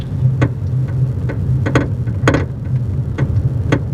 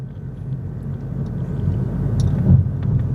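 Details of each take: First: 2022 Honda Insight on test drive after rear strut replacement: sharp irregular clunks and rattles over road rumble persist; cause found to be a worn rear upper strut/shock top mount. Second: 2022 Honda Insight after replacing the rear passenger upper shock mount to cure rattling and clunking: even road rumble with one soft thud over a drain, no rattle or clunk, suspension now quiet.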